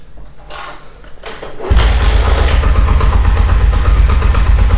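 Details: Honda CD70 70cc motorcycle starting and idling with a loose rattly low knock when the clutch is released that stops when the clutch is pulled; caused by play in the clutch basket.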